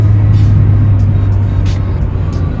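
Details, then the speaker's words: RHD Honda EF test drive with three aboard after spindles modified and lowered; steady road rumble, no front-end knocks or clunks; earlier clunk gone, suspension quiet. "Feels good. I don't hear the clunk. I think we did it."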